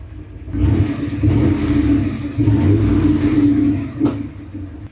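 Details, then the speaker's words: 1976 Ford F250 with turbocharged 331, just rebuilt with a bigger cam and machine-shop freshened heads, first start: revs surge a couple of times then settle into a healthy idle with a faint uneven lope, a hint of chop from the cam. "There's a hint of a chop. That's all right. You can hear it. So far, pretty good."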